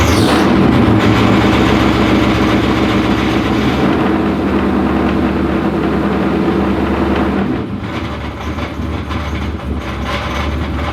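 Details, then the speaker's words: 2000hp twin-turbo methanol Corvette, cold start needing help: a heavy, fairly regular rattly clatter over a loud lumpy idle comes from the torque tube, not the engine. It clears above 2,000 rpm, and fuel pressure, oil pressure and smoke are all fine. "The torque tube just sounds bad. As soon as it gets over 2,000 RPMs, it clears up."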